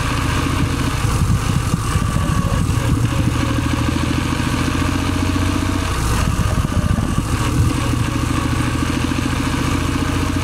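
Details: Suzuki Celerio running: steady low drone with a faint rubbing rasp on top, friction noise inside the gearbox.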